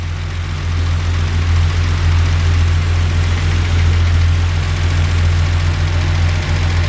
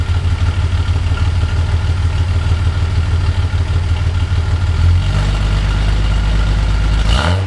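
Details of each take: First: 1982 Datsun 280ZX at 90,159 miles, first winter start after sitting, battery weak, new ceramic-coated header and straight 2.5-inch exhaust, K&N intake, recorded partly inside the garage: deep steady idle burble with a light tick three to four times a second; valves sound like they need adjusting. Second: 1982 Datsun 280ZX, otherwise stock, with Motorsport Auto ceramic-coated header, 2.5in straight exhaust, K&N intake, rebuilt EFI, about 37°F outside; deep steady idle then three throttle blips, light then heavier, rising and falling cleanly with crisp exhaust bark; revs freely, normal.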